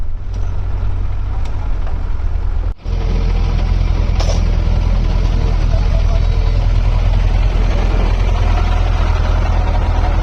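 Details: Six-cylinder truck diesel engine starting after a rebuild: deep, steady rumble that quickly settles into an even idle with no knocking or misses.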